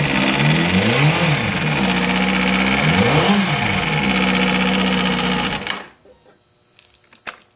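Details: Kawasaki ZX-6 revved then shut down: fast, even ticking that quickens with each blip. Cause unidentified; owner suspects the valves.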